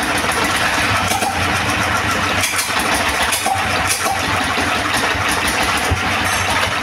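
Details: Second-hand S1115 single-cylinder diesel that would not start (found partly opened by the owner), serviced until it ran; now an even, steady chug with no misfires. No remaining problems, and the oil indicator rises well.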